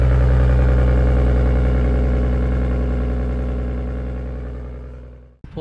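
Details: R33 Skyline with a freshly rebuilt, fully forged RB25DET engine, at warm-up idle: steady, even idle with a smooth low beat and no knocks or misses, settling cleanly before shutting off; normal idle.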